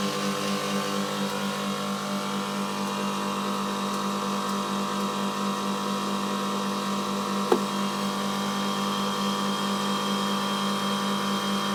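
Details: Milk tank condensing unit after fitting new condenser fan motor and correctly sized secondhand blade (old motor's front bearing failed): steady even hum, constant pitch, no rattles or surging; running normally.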